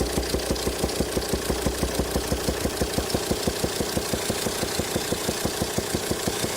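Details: 2007 Volvo XC90 D5 185 bhp diesel at idle: sharp pops about three a second blowing out the open intake; sheared hydraulic lifter socket on a cylinder 5 exhaust valve keeps it stuck closed, backfiring through the intake; cylinder head needs replacement.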